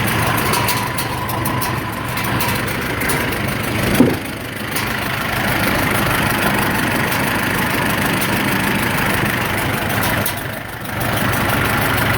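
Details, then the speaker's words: 1947 Farmall M first start after rebuild: low rough idle with constant airy hiss pulsing with each exhaust stroke; source unknown, muffler known to leak somewhere. "I don't know if you guys can hear it but it's got somewhat of a hiss coming through the exhaust seems like on every exhaust stroke and I'm not sure what that is"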